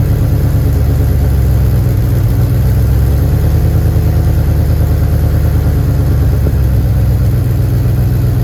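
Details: Porsche 928 GTS, first start after manual transmission swap: deep, lumpy V8 idle with a rapid puffing tick on each firing pulse from exhaust leaks.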